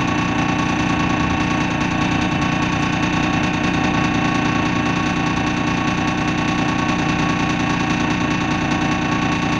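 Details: First Manchester Dennis Dart SLF bus 40395 (R269SBA), recorded 20 February 2012: diesel idle with an uneven, lumpy beat of about two or three pulses a second and a clattery edge; rough idle, cause not clear.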